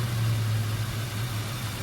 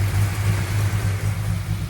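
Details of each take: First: 1968 Dodge Coronet R/T with rebuilt numbers-matching 440 V8 and original carburetor, just warmed up: low, slightly uneven loping idle; owner suspects a plugged idle circuit and notes some detonation. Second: 1968 Dodge Coronet R/T numbers-matching 440 V8, rebuilt with roller cam, first run in forty years on a temporary carburetor: deep, steady burble with slight hesitation but no knocks or misses; engine sounds healthy at idle.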